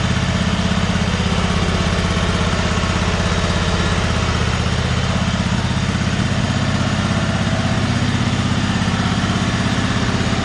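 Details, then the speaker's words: John Deere G100 garden tractor with a 54-inch deck, bought running poorly, after a rocker arm and valve repair: the small single fires evenly at a steady idle with no misses, knocks or hunting. Normal smooth idle. "so idle's good now runs pretty smooth"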